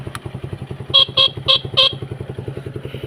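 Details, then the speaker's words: Kawasaki KSR with an aftermarket soft-note exhaust, just started on a weak battery: an even, steady putting idle with regular pulses that never stumble, briefly overlaid by four horn toots. The seller says the engine is steady and everything works. "เครื่องนิ่งเลยนะฮะนี่ดีหมดทุกอย่างเลยฮะ"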